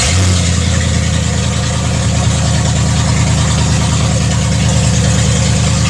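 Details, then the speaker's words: Land Rover Discovery idling while warming up after transmission reinstallation and refill, serpentine belt refitted, transmission limp-mode lights no longer flashing; deep steady even rumble with no misses, knocks or surging. "now I'm going to start this thing and let it warm up for a little bit"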